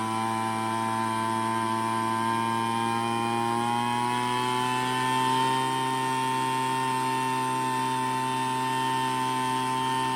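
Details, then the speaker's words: Craftsman two-stroke leaf blower after low-speed and high-speed mixture screws were adjusted by ear for a good idle and maximum RPM without over-revving. At full throttle it buzzes at a steady high speed with a clean, even note and no surging, running well. "Well, I hope you could hear the difference as I turn that low end to get it to idle, and then on that high end as well."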